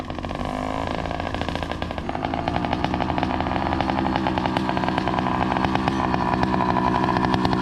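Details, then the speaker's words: Two-stroke motorized bicycle with NT carburetor: rapid popping about three to four beats a second that stumbles and surges unevenly; erratic lean idle, owner suspects the carb isn't getting enough fuel, air leak at the carb. "what's going on is his bike is uh like having this weird idol like i was mentioning earlier because um it seems like his carburetor is not receiving enough fuel just to keep a steady idle"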